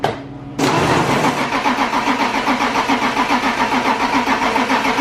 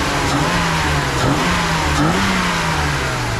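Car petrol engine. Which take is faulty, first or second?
first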